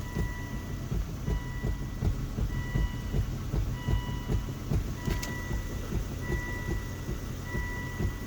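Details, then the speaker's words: 2004 Volvo V70 front end with dull, uneven clunks as the steering is worked with weight on the wheels, off straight ahead, either direction; no noise with the car jacked up; steering or suspension undetermined. "hear this clunking noise i don't know if it'll be audio audible on this video it doesn't matter which side you're turned to as long as it's not straight ahead and there has to be some pressure on the wheels"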